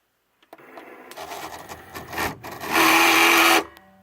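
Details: Barely used Cricut Explore Air cutting machine whirs and clatters, ending in a loud, harsh grinding burst as the carriage moves.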